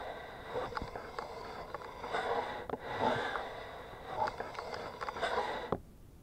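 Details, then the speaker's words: Motorcycle wheel turned by hand, heard through a homemade electronic stethoscope microphone at the wheel: soft swish rising and falling about once a second, no grinding; bearings solid, brakes binding slightly, owner suspects slightly warped discs. "the brakes are binding a little I think these discs might have a very slight warp in them"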